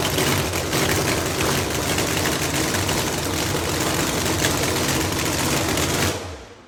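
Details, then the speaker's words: 4.9 screw-supercharged Hemi drag car: loud, lumpy idle with rough, uneven pulses and heavy vibration felt through the cage and seat, then shut off; flywheel checked tight, converter bolts questioned, cause of shake undetermined. "But if you feel the cage, especially when you're in the seat, you really feel it."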